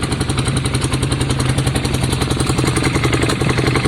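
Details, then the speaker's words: Yamaha Virago V-twin after carb clean, new spark plugs and exhaust swap, front cylinder earlier suspected not firing: light rapid tick three to four per second on loping idle while warming up; cause not determined. "and that ticks come back [Music] heating up all right we'll give it a few minutes guys and we'll let you know it sounds better to me"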